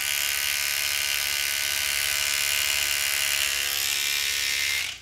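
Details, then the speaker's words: Fairywill 2205D sonic electric toothbrush on highest (clean) mode held near microphone, steady high-pitched buzzing hum, fairly loud, cutting off cleanly; normal operation. "i kind of let it run there a little bit so as you can see it is a little uh look it's not that loud that it's gonna wake up the neighborhood and you're not gonna wake up the wife a 5 30 any money when you're brushing your teeth"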